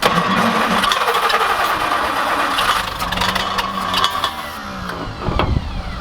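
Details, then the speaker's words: Old roller packer engine at an abandoned racetrack, choke not working and carb possibly flooded, carb reportedly cleaned before: churns over at a steady rapid rate but never catches; carb suspected to need removal and thorough cleaning. "yeah it's like i could kind of keep it running but it wasn't gonna go i mean we could try and run it again but i think the carb has to come off and at least really clean it"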